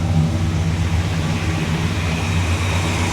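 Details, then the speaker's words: 1965 Cadillac V8 at a slightly fast idle: deep, steady, even rumble with no knocks or misses, sounding healthy. Idle is still a bit too high and it dieseled at shutoff, so the owner is turning the idle down. "She does. She sounds healthy. I need to turn the idle down just a hair. She's still a little bit too high."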